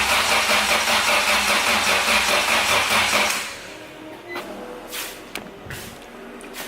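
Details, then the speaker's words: Acura Integra crank-no-start: starter spins the engine steadily for about three seconds but it never fires, then goes quiet; spark not yet checked, an unidentified wire was just reconnected. "ing I can hear that and just uh no prank I mean crank no start you know so when my wife wife gets home I can I can troubleshoot the spark"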